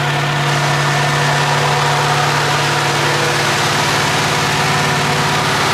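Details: AMC 360 V8 just rebuilt after a suspected lost cam, with new Summit 8600 cam, lifters, timing set, bearings, Edelbrock carb, HEI distributor, ZDDP oil: smooth, even 900 rpm idle with a steady low hum, no ticking or knocking; oil pressure 25 versus under 10 before; normal idle.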